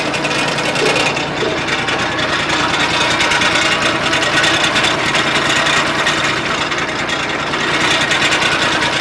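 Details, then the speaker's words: Case 1835C skid steer diesel with broken piston rings, just got running after years: rough, uneven clatter with a loose, unsteady beat and heavy blow-by; it smokes like a chimney as everything blows past the rings. "Obviously, this thing is smoking like a chimney because everything's just blowing right by the rings, and that's okay."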